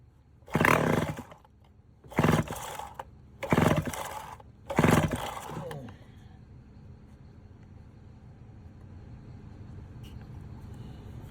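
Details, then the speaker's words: Vintage Homelite 7-19 chainsaw from the late 50s or early 60s, with about 60–70 psi compression and oil sprayed into the cylinder: four short roaring catches on choke, each dying. No gas is reaching the carburetor, indicating fuel starvation. "All right, we got her to fire off there just a little bit. I ain't getting no gas to the carburetor, so we're going to try to get a little bit of gas going in the carburetor."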